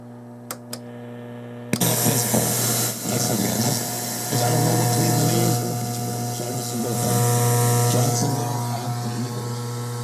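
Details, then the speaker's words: Sansui 881 receiver with DC on the outputs (60–70 V right, about 9 V left), playing radio: steady nasty hum from the right channel only, nothing from the left; seemingly a simple grounding fault, addressed by tightening the ground screws and checking the braid. "There's uh some pretty nasty hum coming from the right side. You can hear that, but it's not coming from this side at all."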